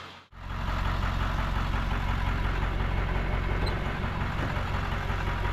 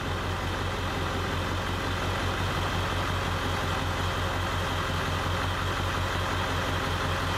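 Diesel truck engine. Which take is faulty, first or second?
second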